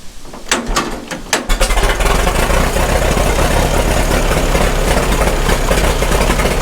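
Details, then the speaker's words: 1936 Caterpillar Twenty-Two four-cylinder, first start after years sitting, with the choke setting uncertain: a few cranking bursts catch into a steady, even low-speed idle at its slowest low-throttle speed with 35 psi oil pressure; sounds healthy. "actually doesn't sound too bad. Yeah. Now we're running 35 PSI oil. That's good. That's as slow as it runs."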